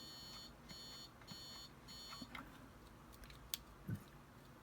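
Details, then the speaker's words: TRS-80 Model I keyboard key switch under continuity test: several short even beeps then cutting out to scattered clicks as the contact opens again when plunger bottoms, bouncing or unknown; intermittent switch contact. "you may have heard that occasionally on this one when the plunger goes all the way down it the contact opens again so it's either bouncing or or who knows what"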